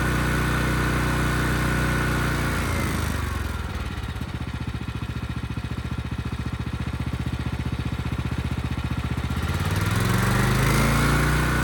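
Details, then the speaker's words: Ridgid generator's Yamaha MZ360 single-cylinder engine, about 10 years old, unused 4 years, repaired rusted tank and carburetor. Its steady beat dips slightly as the 3,000 W load comes on, then recovers and holds 60 Hz: smooth, normal running. "And even under a 3,000 watt load, it sounded great. The engine speed was still good."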